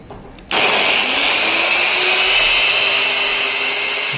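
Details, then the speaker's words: DeWalt 850 W angle grinder run through 220-to-110 V converter with variable resistor: sharp switch-on, then high steady whine settling at full speed, smooth and even, no grinding; normal grinder running. "Motor ഓണായി."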